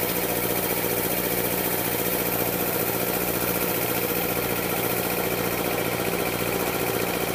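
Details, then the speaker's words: Air compressor pump building pressure, around 40 PSI: sharp regular clacking about three times a second over the pump drone, from one cylinder only under pressure; piston slap or bad piston ring suspected, cause unknown. "now it's kind of clack in one of the uh cylinders when it gets under pressure right now it's not doing it"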